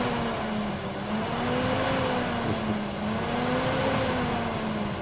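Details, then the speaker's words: Great Wall V200 under the bonnet, thermo radiator fan activated via DS150E diagnostic tool with engine running: fan hum rising and falling gently over engine; cooling fan spins up and runs normally on test. "so what I'll do I'll just run the thermal Sheen so you can hear it start up from here"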